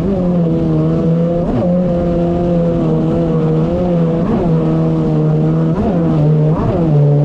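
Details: 2019 Yamaha GP1800R WaveRunner, supercharged 1.8L, on the water after supercharger clutch replacement: strong steady tone rising and falling smoothly with throttle over water rush, no slipping or rattles; running normally.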